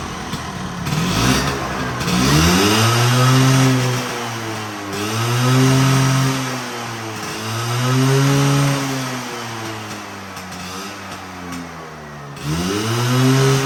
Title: My Vespa V9B1T 100 after rebuild the carburetor…